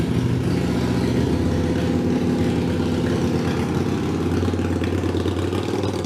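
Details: Harley-Davidson Iron 883 after an oil change and Sejati Booster setting, around the owner's test ride; owner says the popping off-throttle is gone and vibration is reduced: deep, even V-twin lope at a steady idle, no popping or misses; running cleanly.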